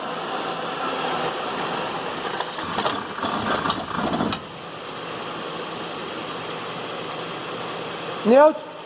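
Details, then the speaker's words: 2011 Ford Edge running in drive: harsh, gritty grinding with an uneven rasp, loudest with the stethoscope on the front CV joint and quieter toward the gearbox; the mechanic suspects the CV joint, still to be investigated. "boa pessoal o barulho é bem forte a ressonância aumenta quando eu jogo estetoscópio aqui em cima da cinética"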